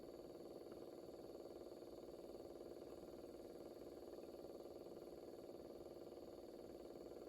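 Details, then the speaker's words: Record player turntable with broken drive belt, platter not turning; faint steady motor hum with fine regular tick about twice a second, kind of noisy, owner thinks it might need oil: noisy motor. "Kind of noisy. Might need some oil."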